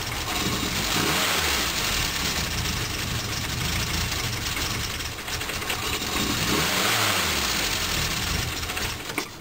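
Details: 1974 Morris Mini, 1400cc MiniSport short engine with ~10 miles, first start in seven years on choke, fresh oil but old fuel: surges and dips unevenly between throttle blips, never steady; rough hunting idle, cause unconfirmed.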